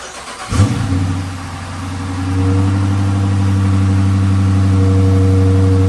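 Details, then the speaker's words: Retired Michigan State Police Dodge Charger Pursuit V8 being built into a supercharged widebody, new exhaust with rear mufflers still fitted: cold start, quick crank, catches cleanly, steady even burble with no misses or knocks; healthy. "I want to give you guys a quick little cold start with this setup and then once we get those rear mufflers off, I'll give you guys another startup."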